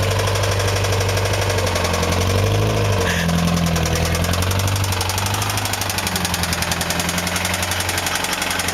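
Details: Honda S2000 petrol engine idling with a steady, deep rod knock repeating nearly four times a second.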